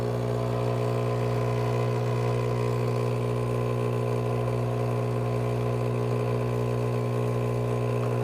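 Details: Breville Barista Pro pulling an espresso shot at grind size 11, about 42 g in 30 seconds: constant low buzzing drone with a steady hum, no surging or rattling; normal pump operation during extraction.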